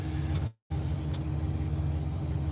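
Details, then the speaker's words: Ford diesel, warmed up at 210, running on a battery borrowed from a skid steer: deep steady idle with an uneven, lumpy beat that doesn't sound happy. Owner suspects a clogged fuel filter but the cause is unknown. "she don't sound too happy that's all I know shut her off I don't waste gas here"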